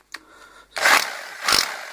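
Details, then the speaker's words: Makita HR 2450 rotary hammer (Master Danilo P 26-8 R copy) after replacing the mode switch plate that stopped it switching to drill-without-hammer: two short bursts of hard, buzzy hammering, no grinding or slipping; drill-only and hammer-drill modes now work normally. "теперь уже можно скрутил можно увидеть работает без удара сейчас работают с ударом"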